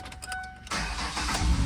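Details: 2012 Ford Escape 2.5L with ignition key sticking and not turning, switch lubricated with a straw-applied spray: short crank, engine catches right away and settles to smooth steady idle; normal start after fix.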